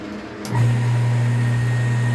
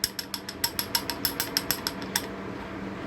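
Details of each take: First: Half-HP peripheral water pump after repair and resealing the O-ring: steady, smooth low hum with an even tone and no rattle, the earlier noise gone. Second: Half-HP peripheral water pump at switch-on: quick, uneven plastic clicking and rattling as the internally splined impeller wobbles and shifts forward on the worn rotor shaft, a noise that often fades once the pump moves water.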